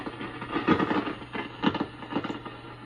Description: This REM-69 receiver had a noise (crackling) problem only on Band 1. Signal tracing pointed to an arcing problem in one of the phenolic bandchange switch wafers rather than something like silver mica